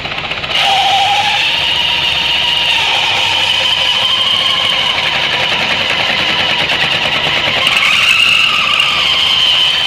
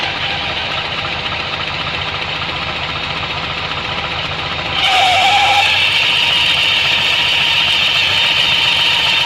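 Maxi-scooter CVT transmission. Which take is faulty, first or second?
second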